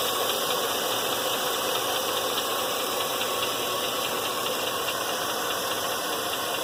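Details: 2000 Chevrolet Silverado LM7 V8 at idle: fast, light ticking over a steady hiss, likely top-end valvetrain; rocker arm trunnion bearings already replaced without fixing it, owner suspects a failing lifter, unconfirmed.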